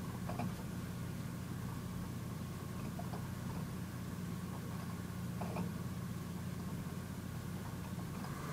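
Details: Home 100TB server after replacing stock fans and heatsink with PWM Noctua fans, BIOS standard/normal profile: smooth steady low hum with faint constant tone, no rattle; quiet, normal.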